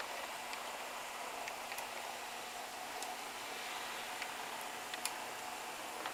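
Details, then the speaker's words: HO scale ScaleTrains Rivet Counter SD40-2 locomotive with ESU LokSound DCC: faint irregular plastic ticks over a soft running hiss as it rounds curves, from sand lines catching on wheel flanges and truck side frames; no derailing or performance effect. "curves and even with the sound on you can still hear or at least I can still hear the plastic clicking on the side frames"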